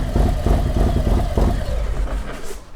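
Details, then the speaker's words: 2022 Harley Road Glide Special, first start after Screaming Eagle cam, upgraded oil pump, intake, injectors and tune: deep uneven loping idle with sharper raspy louder bark, no knocks or ticks, oil pressure good; normal. "nice I like it he do you hear a different Rumble to it oh yeah yeah and it's is it a longer it's uh it's definitely a more raspy and a sharper wrap interesting you know what I mean it's louder yeah louder little bit longer sharper"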